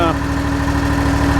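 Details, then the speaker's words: Scag mower with Kawasaki FX691 twin engine after a charging fault, possibly a dirty terminal, battery voltage risen from 13.25 to 14.2 V: steady even low idle with constant hum, no knocks or misses; normal idle. "definitely charging all right so as you can see the um the mower is running great it's charging it's staying charged"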